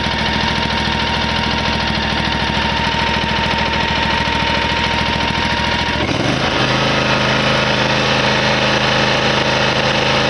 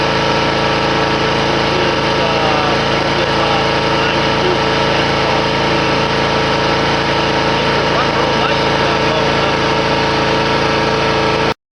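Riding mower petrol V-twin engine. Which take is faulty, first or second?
first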